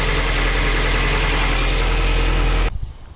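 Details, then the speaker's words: Cheap 360,000 km race car with leaking frost plug reportedly behind the power steering pump: steady even idle with smooth low rumble, no knocks or misses until shut off; healthy idle. "But as you can hear, she runs mint as. I didn't even start that properly."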